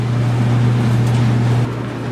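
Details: KitchenAid (Whirlpool) electric dryer whose drum had stopped tumbling, just after fitting a new belt, rollers and tensioner: smooth, steady low hum with no thumping, squealing or scraping as the drum turns; running normally.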